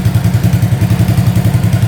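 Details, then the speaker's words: 1985 Honda ATC200S three-wheeler, exhaust pipe rusted out and loud, after pull start with no smoke: even, steady single-cylinder putter about ten firings a second with no misses or knocks; clean, healthy idle. "Yeah, that sounds pretty darn good. I'm pretty happy with that."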